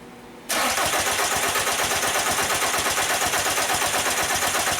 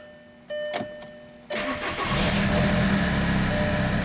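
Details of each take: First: 2002 VW Jetta 1.9L TDI ALH won't start: about five seconds of steady cranking with no firing; injector line test shows fuel barely coming out, injection pump not building enough pressure to open injectors. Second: 2002 VW Jetta 1.9 TDI ALH with check-engine and glow plug lights on, no serpentine belt, radiator hose off, no antifreeze: dash chimes, brief crank, catches within a second, settles to even diesel idle clatter.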